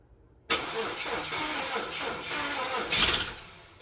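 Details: Starter spins the engine at an even, quick cranking rhythm for about three seconds but it never catches and runs; crank, no start.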